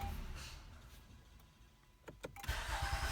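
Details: 2015 Honda Accord V6 after starter reinstalled to fix a grinding zing at the flywheel: short crank with no gear grinding or zing, then the engine catches cleanly and settles; starter engages normally.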